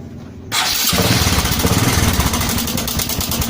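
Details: Honda Supra 125 with a rough engine noise, checked to tell cam chain from tensioner: small single fires up with a loose, clattery rattle over the idle that doesn't settle. Likely a slack cam chain.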